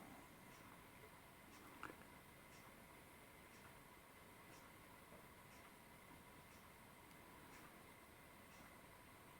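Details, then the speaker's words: Accurascale Deltic model locomotive with a swapped DCC decoder, run at crawl speed: a faint whir with a soft tick about once a second. The flywheels are not rotating freely, so the motor binds and judders at low speed. "and you can see from the white marks on the flywheels that is not rotating freely and that is the effect I get when I say it jutters on the track at low speed"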